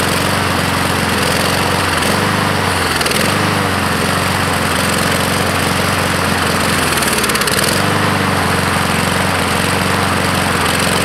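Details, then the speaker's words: 2014 Husqvarna HU700F mower, Honda GCV160 engine, before carb clean: runs, then repeatedly sags and hunts before picking back up, surging and stalling; fuel starvation from main jet likely clogged by flakes and crusty pieces from the float bowl. "probably those Flakes and crusty pieces got lodged up in here and clogged up it ran for a couple seconds but then that was it"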